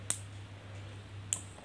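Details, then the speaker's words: Washing machine capacitor (machine running slow) being tested by charging and discharging its leads: two short, faint snaps over mains hum, a weak crack from the smaller section; this section's sound is light and low, the red section's stronger. "अब इसको check करते हैं हम की इसमें आवाज़ कैसी आती है आवाज़ सुने दोस्तों इसकी आवाज़ सही पता चलता है"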